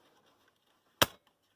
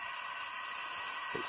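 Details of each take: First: Class 50 locomotive EP (electro-pneumatic) valve by English Electric/GEC on an air test rig, switched off: one sharp pneumatic snap, then near silence with no hiss; no air leak, and pressure decays on the gauges. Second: Class 50 locomotive EP (electro-pneumatic) valve, English Electric/GEC, on test de-energized with air supply on: constant high-pitched hiss as air leaks past, gauges already moving; faulty valve with compressed air leak.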